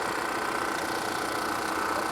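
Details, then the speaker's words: Volvo XC90 at a salvage auction: steady, even idle with a fine buzzy hiss on top and no clear knock. The noise comes from the engine itself, not an air pump. It sounds wrong but runs fine, cause unknown. "So that's not an air pump. That's the actual engine. It's not major, but I don't think it's supposed to sound like that. But it seems to be running fine, so I don't know."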